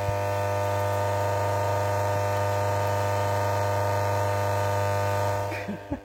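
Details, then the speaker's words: 1974 Holophane S400 globe lamp, original ballast, running: loud steady mains buzz with rough chattering edge, ballast in full chatter; owner suspects a small short circuit, unconfirmed; ballast buzzing. "Le ballast, il est en plein rupteur, là. Oh merde. Mais bon, après, j'ai plein de luminaires qui font ce bruit-là et j'ai jamais eu de soucis."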